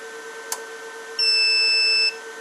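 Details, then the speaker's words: Liebert GXT3 UPS plugged back into a known good power source after being unplugged from bypass, with the line button held for a second or two: one clean high beep under a faint hum as it returns online normally. "Press and hold the solid line for about a second or two. The unit will go kick on back online."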